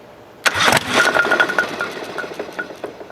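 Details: Craftsman GT5000 tractor after March 2023 fire damage, first start attempt during repairs: sharp burst of pops on cranking, then ragged fading ticks, never catches; flywheel key sheared again, timing lost, cause unknown.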